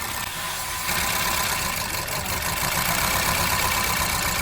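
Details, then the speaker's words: Hyundai Accent engine at idle with a bad misfire (cylinder 4 later found bad); a good cylinder's ignition coil is unplugged one at a time. Idle turns rough and uneven, about four beats a second, stumbling, proving that cylinder fires. "And you see how the engine got worse, right? That's how you know that cylinder is working. That's what you want to see."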